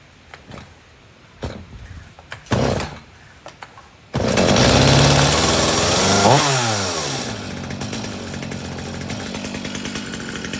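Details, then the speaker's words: Stihl MS250C Easy Start chainsaw, dropped off because it would not start. After a few gentle pulls, it fires at once, revs crisply and settles to a steady, even idle. It started without any problem. "start started no problem okay okay so this ms250c started up without any problem"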